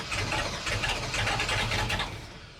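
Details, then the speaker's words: Warm (about 210°) 1983 Chevy K20 big-block with Holley carburetor: rough, uneven cranking that catches and stumbles then fades out; the engine is flooded because the needle and seat stuck again. "Okay, it's really flooded. And let's shut it off. That's probably enough noise for one day in the city."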